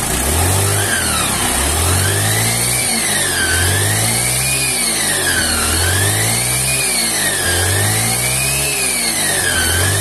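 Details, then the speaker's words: Honda scooter (Vario/Beat) after a gearbox rebuild with new bearings and pulley shaft: flute-like whistling whine rising and falling with each throttle blip, and the wheel drags; gearbox suspected. "Nah itu ya teman-teman, jadi suaranya itu nyuling. Jadi selain suaranya nyuling, ini rodanya juga seret nih."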